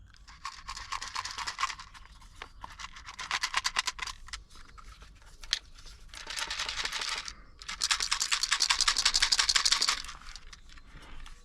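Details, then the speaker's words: Citroen Xsara VTS not running: uneven bursts of thin, high, buzzy rattling and rapid clicking with no engine running, an electrical chatter; owner suspects faulty COM2000 steering-column module flagged by Lexia, with BSI or ECU next in line. "doesn't sound good does it maybe maybe just maybe that's why it's not working"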